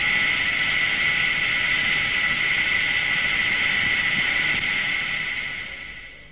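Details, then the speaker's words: SKF 6309 deep groove ball bearing at 2,000 rpm under 20,000 N load, heard through an electronic stethoscope: smooth, even hiss with a steady high tone and no knocks or crackle, fading at the end; a healthy, undamaged bearing. "first let us listen to the sound made by a bearing in good undamaged condition"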